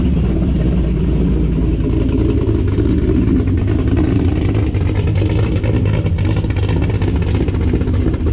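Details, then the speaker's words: 2006 Corvette C6 LS2 6-speed manual, Texas Speed 233/239 .600 cam on 112, long tubes, no mufflers, untuned first start: deep uneven choppy lope over steady rumble, loud in cockpit, otherwise running fine; lopey cam idle. "definitely has a very very unique sound i don't know if i'm gonna like that driving it's pretty loud in the cockpit"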